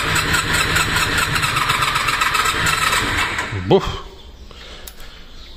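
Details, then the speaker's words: Honda VFR 400R NC30 that would not start, battery drained, fresh fuel, cranked with and without choke: catches and runs ragged, stumbling and missing, then dies; misfire, owner suspects no cylinders or only one firing, a spark plug found in bad shape. "Nada, ni hostias. Es que yo creo que no va ni un cilindro, ¿eh? Uno, justo."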